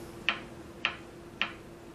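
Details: Philco 39-7 tube radio during restoration: sharp even ticks about every 0.57 s over faint hum; touching the diode speeds the clicking; cause unknown.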